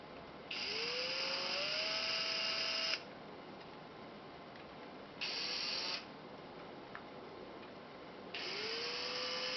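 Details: New Makita DF032D cordless drill spins up in four short runs with a gritty, ratchet-like rattle over the motor whine, heard only when the drill is held upside down; service found no fault.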